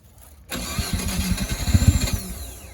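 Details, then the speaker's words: Mazda FC RX-7 rotary after an emissions delete, with the intake manifold refitted to fix a suspected loose injector. It cranks briefly and fires immediately into an even, steady idle with no stumbling, a normal healthy start. "It sounds healthy, and I think it should just fire up every time. Let's see. Here we go. Just like that."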